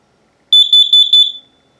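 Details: A shrill, piercing tone pulses rapidly for about a second and then stops: the upstairs battery-operated Kidde KN-COSM-B smoke/CO combo alarm passing its button test.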